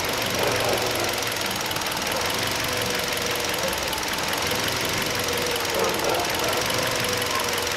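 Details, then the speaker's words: 2012 Hyundai Solaris 1.4 petrol engine, misfiring with poor acceleration and high fuel use, after new NGK LZKR6B-10E plugs: uneven idle with an irregular tapping and wavering, hunting rpm, unchanged; no fault codes or misfires were logged. "Запускаем, пробуем. Ничего не изменилось, обороты все равно подплавывают почему-то."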